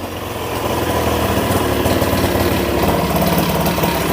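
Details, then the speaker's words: 1988 Honda Vision Met-in 50cc (SA50) two-stroke scooter after a carburetor clean: buzzy idle that climbs and holds a bit too fast; the idle should sit a little lower. "you see how high this is [Music] idling I think it should ID a little bit lower than that"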